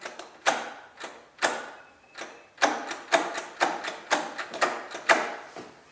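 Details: Kubota riding mower that sat for years: sharp uneven single clicks about twice a second with no cranking; starter just clicks though it spun on the bench, poor connection suspected.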